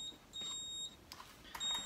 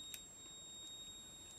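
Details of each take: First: AP Valves XPD rebreather handset powered on with a long left-button press for pre-dive calibration: a few short, high, clean beeps as cells, solenoid, buzzer and temp stick check good; normal power-on self-test. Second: AP Valves XPD rebreather handset on the bench during pre-dive setup, battery just recharged, sensors uncalibrated and reading 21% oxygen instead of 0.7 setpoint: a thin, steady high electronic tone over a quiet room, the low-oxygen warning beep.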